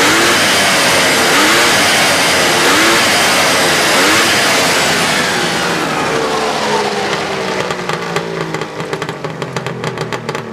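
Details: 1999 Arctic Cat ZRT 800 two-stroke snowmobile, being parted out: revs high and clean with a sharp, buzzy note, pitch sweeping up and down smoothly with throttle, then settling back; sounds healthy.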